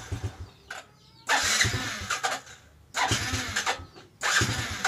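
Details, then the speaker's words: New Jupiter Z small bike engine, hard starting: very delayed starter response, three starter bursts each catching about a second then fading; runs brebet (stuttering), weak power, high fuel consumption, spark plug often dying. "robot punya saya sendiri ini Brebek kita mau hidupin dulu ya dia merebet dan untuk respon staternya itu sangat delay sekali tuh dia kalau nggak dikasih yang ketiga nih kayak gitu tuh"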